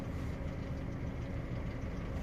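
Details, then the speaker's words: Opel Astra J 1.4 petrol with check engine light, idling: low, uneven, lumpy, stumbling beat, engine shaking; scanner shows misfires counting on cylinder 1. "Astra J 1.4 rateuri. Merge ciudat motorul"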